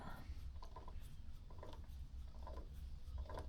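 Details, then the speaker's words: Caterham/Locost 7 rear axle during build, wheel turned by hand: soft evenly spaced gear clicks about once a second, smooth with no grinding, as the differential drives the opposite side in reverse. Normal differential operation. "On entend la boîte qui tourne et qui transmet, bien évidemment, à ce côté-là, hein, en sens inversé, puisque c'est le différentiel qui fait ça."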